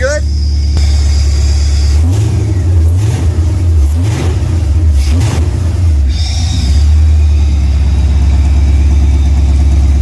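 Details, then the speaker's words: LS-swapped OBS Chevy Tahoe, after the first start and a plug check for a misfire; no leaks found. A deep, even V8 burble swells smoothly with throttle blips and settles back, no ticks or knocks: normal idle and rev. "yeah it sounds really good I'm gonna shut it off and uh we'll end the video"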